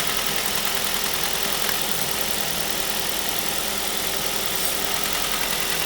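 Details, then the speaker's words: 2005 Ford Mondeo LX petrol engine, warming up, oil-burning car: busy light fast clicking over steady idle from rattling intake swirl flaps, a common fault on this engine. "A real common problem with these engines is the swirl flaps, and you can hear on this one the swirl flaps are actually rattling. If I take this off, you'll hear the clicking go away."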